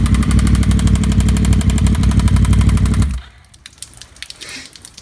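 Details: 2009 Yamaha R1 with Graves shorty exhaust, started before teardown: loud rough engine with fast steady knock about four per second, then shuts off; rod knock, later found overlapped connecting rod bearing and slightly damaged crank.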